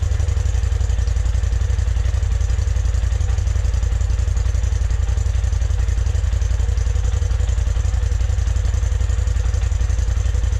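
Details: 2020 Polaris RZR Turbo S Velocity on stock exhaust, before Trinity stage 5 slip-on install: even, steady exhaust pulse about four per second with no misses, ticks or rattles; normal idle.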